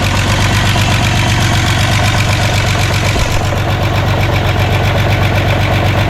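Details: VW Jetta just restarted after a clutch job, warming up: steady idle with a fast, even light tick of about four per second from fresh lifters, expected to go away as oil pumps up.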